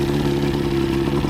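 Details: Outboard test run after head gasket replacement (prior overheat, water leaks), on water hookup: short, smooth, even mid-pitch drone, no knock or miss; healthy, with a leak around the water pipe.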